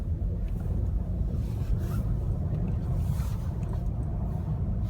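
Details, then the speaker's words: Restyled Opel Astra J with bad-roads package, 60,000 km, in-cabin at -22°C after fitting KYB shock absorbers (mounts kept): steady low road rumble with no knocks or clunks, where original shocks knocked on small bumps; front suspension now quiet. "сейчас вы просто можете послушать тишину подвески с амортизаторами каяб реально едешь и получаешь удовольствие от этого автомобиля"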